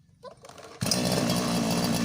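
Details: Lawn trimmer engine left unused for months that would not start, after cleaning carbon off the spark plug: brief cranking rattle, then a steady high buzzing run with no misses; runs normally.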